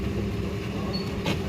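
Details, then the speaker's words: Toyota Vitz started at idle after repairing fault code P0353 (ignition coil C primary/secondary circuit misfire): steady, even low hum with no stumble or miss; warning light now off and no trouble codes remain. "Start गाड़ी start हो गई है और इसकी warning light भी of है"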